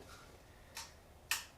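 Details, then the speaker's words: 1975 Honda GL1000 Goldwing, plugs out and fuel line off: two sharp single clicks about half a second apart with no cranking; rusty starter solenoid connections mean no power reaches the starter. "uh could be seized or the starter could be stuck so there's a starter right there after looking at this more closely it actually comes from the starter solenoid over here and all this is all all these connections are all rusty I'm not even getting power to the starter"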